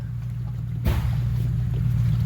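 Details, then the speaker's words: Jeep Cherokee creeping slowly after a big rainstorm: low rolling swish of water sloshing inside a door, drips visible; water trapped in the door. "Y'all hear that? Water is in this door. That water gotta be in the door panel."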